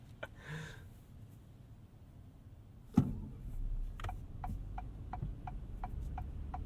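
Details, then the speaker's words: 2026 Acura MDX Type S rear wiper in rain, heard from cabin: evenly spaced clicks roughly every third of a second over quiet cabin hum; rear wiper motor clacking loudly on each sweep. "Very noisy rear wiper. Listen to that. Hear that? Oh, that just sounds like the saddest wiper motor ever."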